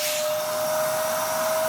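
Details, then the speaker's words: Dyson vacuum from a free job lot, airflow tested with filter in as found: even motor roar with a constant thin whistle; suction low, reading 80, because air leaks through a hole in the hose. "So that will prove that, yeah, if it's really bad to the point that you can physically hear the vacuum struggling, it's dead, Jim. There is a flipping hole in this hose."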